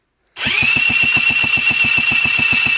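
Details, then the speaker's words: Honda NH80 Vision scooter under restoration, cylinder barrel recently repaired: turned over on the starter without firing, high steady whine over quick even compression pulses about nine a second; normal cranking. "well let's turn the engine over sorry not fire it up it is going round"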